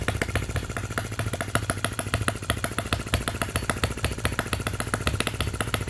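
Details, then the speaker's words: Miniature Lister D working petrol engine (OKMO/Retrol), first run after first-pull start, with fresh sump oil, petrol and hopper cooling water: crisp, even single-cylinder popping about three and a half beats per second, steady with no misses. Normal running. "This sounds so fantastic running."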